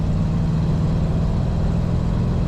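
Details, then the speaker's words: 1950 Mercury two-door street rod with three-on-the-tree manual: deep, even exhaust rumble with a steady low beat, no knocks or misses; quiet at idle, rumble rising on throttle; healthy engine. "very smooth running car started up an idle right away it's nice and quiet till you get on the throttle then you can hear that Rumble a little"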